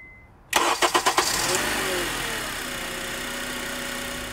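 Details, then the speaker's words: Cold start after replacing the VTC actuator to cure a startup rattle: a few quick cranking pulses, then a clean catch into a steady, smooth idle with no startup rattle and no check engine light. Normal. "yes beautiful that is awesome there is no startup noise at all and taking a look at our dash we don't have any check engine lights on our idle is buttery smooth it's stable and this engine sounds great"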